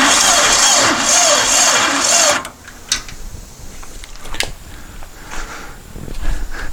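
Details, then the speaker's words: Long-stored dune buggy/sand rail, fuel dribbled into the carb, cranking on a booster pack: labored, uneven cranking for about two seconds that never catches; owner suspects the booster pack lacks power. "we need a little more power than the booster pack's going to provide"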